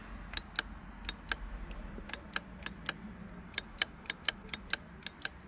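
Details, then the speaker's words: 2015 Lincoln MKX, flood-damaged: uneven sharp ticks about three or four a second from inside the door as the power window motor tries to run; clicking but the window does not move. "So, it's trying to do something inside of there and it's it's just not doing anything."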